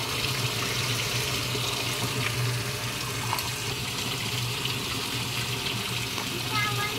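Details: Panasonic automatic washing machine after repair of a no-water-inlet fault, test fill at low water level: a steady, even rush of water pouring into the tub with no dripping or stuttering; the inlet fills normally.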